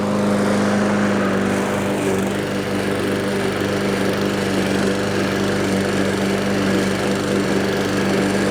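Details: Discarded Toro walk-behind self-propelled mower after a service, a new spring and carburetor work: the small single-cylinder engine gives a steady, even buzz and holds speed through the cut with no surging or misses; healthy under load.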